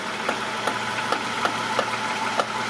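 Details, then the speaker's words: 2010–2011 Toyota Sienna, engine idling while the steering wheel is turned: sharp creaking pops every third to half second from the front strut; worn strut mount. "so if you ever encounter this kind of issue you might consider this you know strut assembly so one more one more Russell either way it's coming from there"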